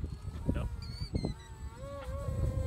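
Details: Delta Ray RC plane converted to brushless motors via brushed-to-brushless signal converters on a 3S 2200mAh pack: warbling squirrel-like motor chirps under throttle, with ESC timing and reliability issues, beeping and limited yaw control; cause not confirmed.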